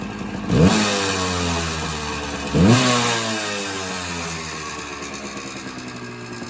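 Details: Suzuki PE175 two-stroke in the garage after an FMF silencer install: two sharp blips rising crisply, falling back to a steady crackly idle; clean and healthy, not much different from stock.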